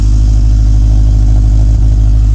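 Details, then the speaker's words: Big-turbo Subaru Legacy first start, warming up at idle: loud deep idle with fast even puffing from an exhaust leak, suspected turbo V-band flange not seated correctly. "it sounds like one of the v-bands is not seated correctly so i'm gonna have to take a look at that guys"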